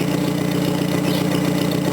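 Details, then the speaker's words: Small 1000 cc engine in a roughly 42-year-old Datsun, idling after valve adjustment and a test drive: steady, even exhaust pulse, no misses, smooth where it was puttery before; slight noise, small exhaust leak remains. "That's what you want to hear. Smooth running. A little bit of a noise, but nothing major."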